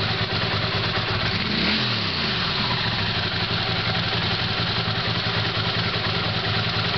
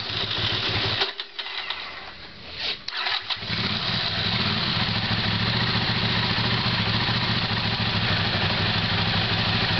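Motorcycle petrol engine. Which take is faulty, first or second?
second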